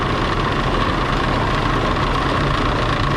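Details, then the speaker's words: 2005 Toyota Highlander with A/C on, noisy A/C complaint: when cooling fans kick on high, loud steady roar with droning hum and vibration from bad fan bearings; radiator visibly shaking; new cooling fans needed. "When the fans kick on high, the fans are bad. That's what's making the noise. The bearings are bad."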